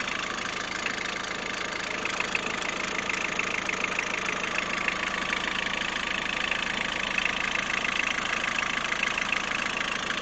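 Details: Peugeot 106 1.5 diesel (11/2002), 130,000 km, timing belt done at 73,000 km: steady idle with a light, regular thin metallic ticking about four a second on top; engine noise at idle, source unclear.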